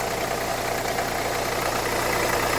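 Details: Renault Kangoo 2011, 1.5 dCi 86hp, under 100,000 km: lumpy, uneven diesel idle chatter with steady pulsing. Owner suspects a Delphi injection pump defect; metal filings and foamy, aerated fuel were seen, and it struggles to restart.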